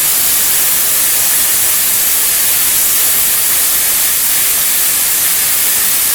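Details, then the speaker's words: Lotos LTP5000D plasma cutter at 50 after poor cutting at 30: strong steady hiss holding even for several seconds without sputtering or dropouts; solid cuts, cable not hot; normal plasma cutting. "right okay pretty good solid cuts e all right okay cable's not hot it's a good sign real good sign"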